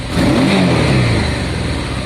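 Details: Honda Deauville first start after a carb clean, fuel pump primed, choke and ignition on, weak battery: catches cleanly, revs crisply, then runs smooth and steady; a healthy start.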